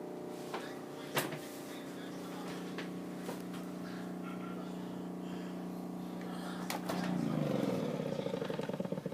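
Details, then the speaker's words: Fridge emitting a steady low hum in a quiet room, swelling near the end; seems to come from near the light and stops when the door is opened. Cause unknown. "this video is made to help the technician figure out what's wrong with this fridge I think you can hear it humming I'll shut up"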